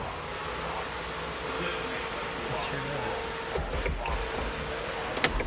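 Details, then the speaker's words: BMW E36 M3 sunroof motor running after cassette repair (metal stoppers had popped the cable out and unseated the copper tubing); steady even electric whir at one pitch with a couple of clicks near the end: sunroof works normally. "okay that should be it right there that should be close mhm okay it works Mike"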